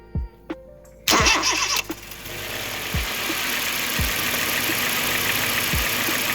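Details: 2005 Honda Jazz GD3 i-DSI automatic, engine hot, fresh engine oil and filter, new fan motor; quick crank, catches and settles into an even, quiet idle with faint periodic background thumps; normal start, no engine complaints.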